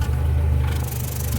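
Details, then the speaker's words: Nissan Platina with power loss, shaking at stops and exhaust popping; uneven lumpy idle with popping puffs breaking the rhythm, no misfire codes stored; a spark plug or coil suspected, engine misfire not confirmed. "miren parece que está aventando pues balazos amigos y el detalle está que no nos marca nada esto casi cuando es así nos está indicando que alguna bujía alguna bobina está fallando"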